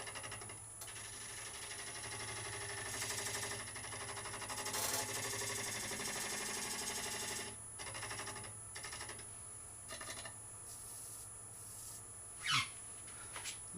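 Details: Skew chisel on a wormy sycamore bowl blank on the lathe, cutting down the tenon: light, uneven rapid ticking and rattling as the tool bounces on the wood instead of cutting cleanly.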